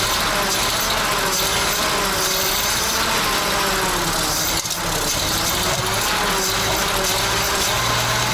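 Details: ZIL crane truck petrol engine after 20 years standing: steady, slightly ragged idle with a hissy top end; runs fine after the long layup.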